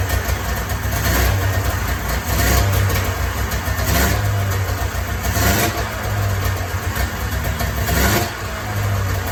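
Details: 1994 Polaris Indy 440 two-cylinder liquid-cooled two-stroke snowmobile, sat 12 years, new gasket, running off tank fuel: crisp buzz rising and falling cleanly with throttle blips, no stumbling or misfire; clutch engagement RPM unknown, seems to run pretty good.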